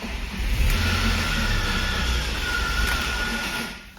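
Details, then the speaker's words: BMW Z3 (1.8 or 1.9 engine) just after a clutch, solid flywheel and replacement gearbox fitted: a rough cranking churn with a thin rising whine, and the engine never catches; the starter motor is faulty. "So it turns out the starter motor is also boolaxed."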